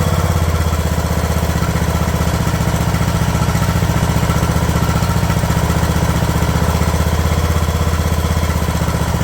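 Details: Craftsman LT2000 riding mower engine at a slow idle after the throttle linkage was straightened to allow slower idling: low, even thumping, firing steady with no misses or surges; normal idle.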